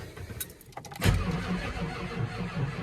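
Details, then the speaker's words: 1989 Ford F250 diesel, battery over 12 volts, after injector work: a click, then the starter turns the engine in a slow, labouring low rumble without catching; slow cranking, bad ground wire suspected. "So, every time I've tried to crank this thing, it's uh very slow cranking, not a lot of power since I did the injectors."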